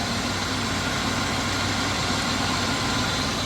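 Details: 1980 Chevrolet Scottsdale 350 V8 pickup parked 26 years: even unbroken idle hum over exhaust rush, no knocking or pinging. Finding: normal idle.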